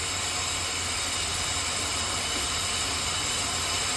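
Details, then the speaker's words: 2011 Buick Lucerne 3.9L with the PCV line to the intake manifold disconnected: a steady airy hiss over a low engine hum as air is drawn in, manifold pressure changes and the engine runs rough; vacuum leak from the open PCV line. "cuz it's not getting a full seal so it's not going to build up that pressure as much so I'm going to remove it again it's going to run rough"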